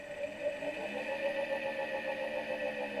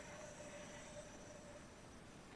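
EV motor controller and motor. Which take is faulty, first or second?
second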